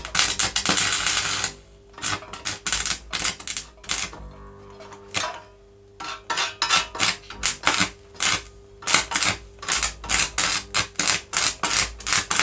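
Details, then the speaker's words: Vintage Oxford RT110 MMA stick welder after sitting about 10 years: arc crackles in short irregular spits with dropouts and restarts, never steady; owner suspects not enough amps for the oversized rods. "yeah I don't think there's not enough amps in in it to be able to hold a good out with these rods the rods are too big big"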